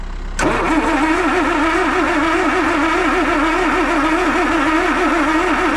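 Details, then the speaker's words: Land Rover 2.25 petrol with refurbished Zenith carb, new distributor, coil, HT leads, solenoid, lift pump and starter, choke partly on: starter whirs with even compression rise and fall but never catches; crank-no-start, fuel smelled at carb, spark being checked. "So it's not even sounding like it's gonna fire."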